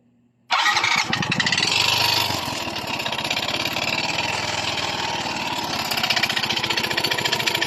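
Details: Yamaha Mio i 125 before repair, engine suddenly noisy. A fast, harsh, rattling idle with even metallic tapping: piston slap, fixed by replacing the block set.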